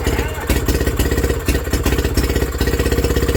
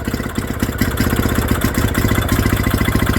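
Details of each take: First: Villiers WX11 single-cylinder engine, first start after carb work, never previously run by owner, crankcase flooded with raw fuel burning off rich: firing about three beats a second, surging and sagging unevenly; hunting at idle, top carb adjustment planned. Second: Villiers WX11 single-cylinder two-stroke after carburettor work, running on a guessed two-stroke mix with load applied by hand: even putter at about three and a half beats a second, governor picking up and holding speed; running healthy.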